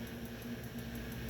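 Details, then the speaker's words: Midea microwave not heating: magnetron gives a loud, steady low hum that keeps droning instead of a quick start then quieting; magnetron judged faulty. "O magnetron, pessoal, é para ele dar aquele acionamento rápido e parar o barulho. Esse daqui tá com barulho forte também, ó."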